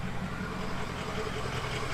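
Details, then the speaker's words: Ford 6.0 Powerstroke diesel truck at steady, even low idle just after flashing an SCT BX tune; owner says it sounds no louder, turbo swapped (thinks a 13-blade replaced the 10-blade). Normal diesel idle, no knocks or surging. "What about y'all? Sound louder to y'all? Don't sound louder than me."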